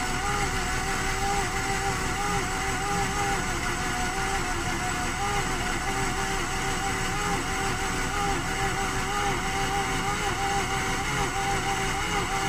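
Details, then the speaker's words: 2009 Mazda RX-8 Grand Touring rotary, 6-speed manual, 215k miles, not run in 8 months, suspected low compression, cranked at -8° with about half throttle: ragged cranking with uneven pops as revs try to climb, then fizzles out when the starter is released. "It really was just popping. Like it was actually kind of stumbling, coming up in RPM. I let off the starter and it kind of fizzled out."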